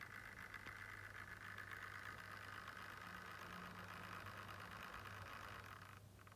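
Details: Lenovo Yoga Slim 7 laptop with Ryzen 4800U at idle: wavering fan whir with uneven pulsing, roughly four beats a second, over a low hum; abnormal fan noise, cause unclear.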